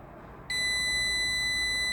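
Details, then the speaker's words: Car relay with coil powered, multimeter continuity test across terminals 30 and 87: clean continuous beep, 0 ohms; relay contacts closing properly. "See, 0 ohm indicating continuity. You can put it even on beeping continuity test."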